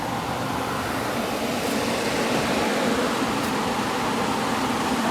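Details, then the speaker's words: 2001 Kenmore (WCI) 8,000 BTU R-22 window AC, likely low hours, running after cleaning; smooth airy fan rush with the compressor barely audible underneath; working perfectly. "It just sounds like the fan's on, but this air is nice and hot. You can hear it when you get up close."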